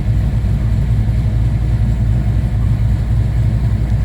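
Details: Chevrolet Chevelle, hard start with voltage drop when starting: heavy, low, labouring churn under four beats a second with no firing as the starter drags the engine over slowly; slow cranking, cause suspected, not confirmed.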